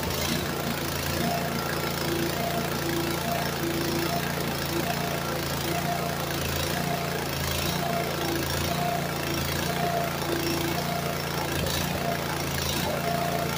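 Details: Walk-behind brush cutter that sank in a pond and was dragged out by tractor, with water probably still in the carb and tank: loping, stumbling, sketchy running instead of a steady idle; owner suspects torn-up linkage limits throw, cause unconfirmed.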